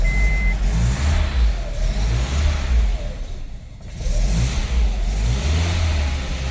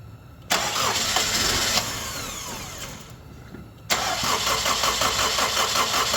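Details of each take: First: Honda CR-V that cranked but would not start, after plugging in the correct temperature sensor on the head, now reading 45°F: engine catches with a slightly uneven note, then settles into a steady, healthy run. Plugs had flooded from the previous sensor reading. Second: Honda CR-V with a bad coolant temperature sensor connected: steady fast cranking for about three seconds, a pause, then more cranking with no catch. Extended crank no-start from the faulty coolant temperature sensor.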